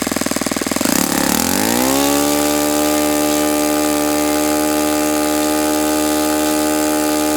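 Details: Saito FA-91S model four-stroke glow engine, not run in many years, on a test stand on a chilly ~60°F day, running a Fox Miracle plug after a rough start: high buzzing rev drops smoothly to a steady, even idle with no misses; beautiful, healthy running engine.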